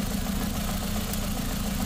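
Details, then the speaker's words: Ford Figo petrol/CNG at idle: steady hum with a faint irregular stumble that persists with the No. 1 and No. 3 coil connectors plugged back in; injectors spray fine and don't leak, so a head, valve or piston-ring fault is suspected. "Coupler लगाने के बाद भी फर्क नहीं पड़ रहा यानी एक नंबर तीन नंबर हमारा सिलेंडर क्या है फेल है"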